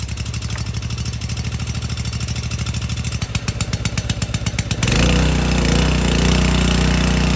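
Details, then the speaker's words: Subaru EA190V pressure washer after a no-start fix: even small-engine putter that deepens and steadies as the pump takes load, no misses; engine sounds good and pump works. "before engine sounds good see if that pump didn't work that's what it would be doing so I'm very happy with that"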